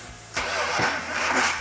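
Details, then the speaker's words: Freshly rebuilt 340 Six Pack V8 from a 1971 Dodge Demon on a test stand, first start with distributor just installed: labored cranking catching with a sudden rough burst and uneven firing; ignition timing too far advanced, distributor rotated back. "so when Mark says it's Advanced that means where the distributor is sitting at that time isn't right and the normal firing of the cylinders is Advanced too much"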